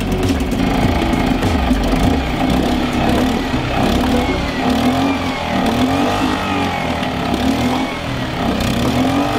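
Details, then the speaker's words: Suzuki 2.5hp outboard after carburetor strip and clean, ignition already ruled out, with an uneven, hunting, sputtery idle that keeps running only with the choke out, running rich; owner suspects a jet or internal carburetor setting is out. "It is running now because I am running it with the choke out. That's right. This motor, unlike anything I have ever known, runs when the choke is out. And it runs well."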